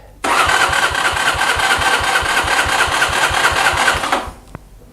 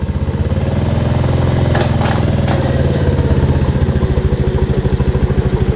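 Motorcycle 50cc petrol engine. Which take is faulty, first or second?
first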